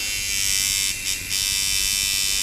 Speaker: when it's perfect the Armature bar should almost sit perfectly level and this right now it's it's just a little bit below level so it stutters right